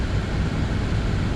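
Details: Audi Q7 heater blower motor after removal, cleaning and lubrication, refitted and run at high fan speeds up to twelve: smooth steady airflow, low even hum, no squeak or chirp yet; squeal later returned, so the motor was replaced with a new one.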